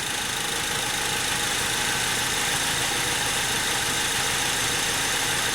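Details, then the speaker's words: 2003 Honda Civic EX (P1129 MAP code, rough idle, stalling, limp mode) fully warmed up at idle, MAP sensor reading about 0.8–0.82 volts; smooth, even idle with no knock, miss or hunting. "So this vehicle is fully warmed up, and you can see we're bouncing at about 0.8 to 0.82 volts on the map."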